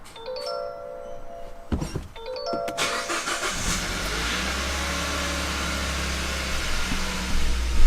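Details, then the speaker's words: 2013 Kia Pro Ceed GT cold-start attempt after inlet and injectors were removed and refitted and the fuel pump primed repeatedly; clutch down, dash chimes, starter cranks steadily for several seconds but engine never fires: crank, no start. "well everything seems fine clutch [Music] down and it is not starting um"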